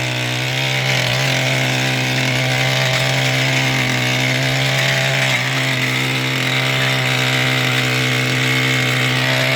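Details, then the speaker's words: Mantis tiller two-stroke engine after carburetor fuel pump diaphragm replacement and recoil fix, tilling fairly hard dirt: steady high buzzing with a firm, even note and only slight dips as it digs in; normal running under load. "pretty hard dirt too it still goes on its own"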